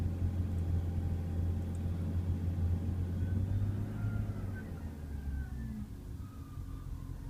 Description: E36 M3 is experiencing a rough start, bouncing idle (below 500 rpm) and the occasional stalling.